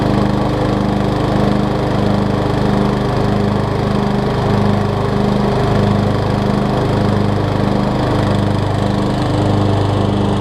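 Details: 2003 Craftsman LT2000 riding mower after new belts and freeing a frozen deck spindle: steady engine drone with blades spinning evenly, soft pulse about twice a second, no grinding or squeal; deck running fine.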